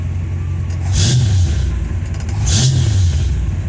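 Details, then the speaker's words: 1952 Studebaker Commander after transmission work, shortly after start and not yet warmed up: deep rumble with two quick revs that climb and settle smoothly, no knocks or stumbles; engine sounds healthy and goes into gear. "Sounds good. I really like it. It goes into gear and everything"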